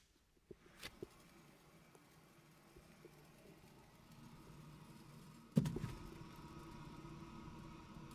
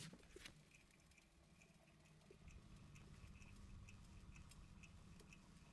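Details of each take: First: BMW 318i wheel hub spun by hand before bearing replacement: low, rough continuous rumble instead of a smooth quiet spin, beyond normal pad-on-rotor sound; bad wheel bearing. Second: BMW 318i wheel hub spun by hand after wheel bearing replacement: quiet, only faint light ticking from pads on rotor, no rough rolling growl, a normal healthy bearing.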